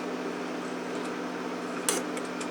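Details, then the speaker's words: Mercedes door lock (central locking) vacuum pump after repair, tested with pressure port blocked by a short pipe: pump hums with a faint tick, repeatedly re-activating because there is too little back pressure; short cycling can burn the motor. "see how the motor tries to spin so it just pumps the pressure for pipe is short it pumps it up and there's no not enough back pressure you see how it cycles slightly that's not good"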